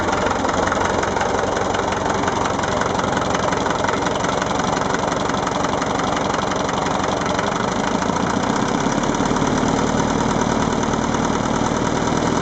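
Diesel tractor idling with a rough, fairly regular knock around three per second over the low rumble; source of the knock unclear.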